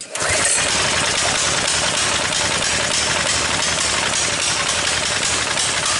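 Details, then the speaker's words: Coleman BT200X minibike, crashed in mud, that won't return to idle: ragged, uneven running with frequent sharp pops over a rattly clatter; owner suspects a valve issue, while governor weights possibly fell off, cause unconfirmed. "so another thing I'm noticing too when this engine runs and I'll start it up for you to hear it again is that there's a lot of popping going on and I'm thinking I'm thinking might be a valve issue as well"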